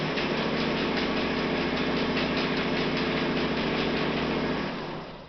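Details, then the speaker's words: Martindale 2051 folding machine in normal folding operation: fast, even clatter at about 3.5 beats per second, then winding down; louder than any slight fold-roller flat-spot thumping, which fades after a machine has sat for months. "The folding sound is louder than any thumping noise you would hear. You wouldn't even hear it at all when you're folding."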